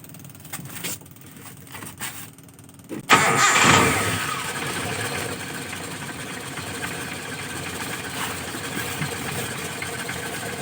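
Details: Car with TCI pulser ignition module replacing CDI, restarted after the pulser was unplugged (engine died) and reconnected; quiet, then fires and catches quickly, settling to a steady even idle: normal engine start and idle.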